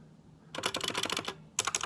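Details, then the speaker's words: 65% keyboard with stock unmodified spacebar stabilizer; fast key strikes with loose clattery rattle on each spacebar press. "so here's the Dravo stabilizer here that rattle it's always bothered me this rattle i've never updated the stabs on it but"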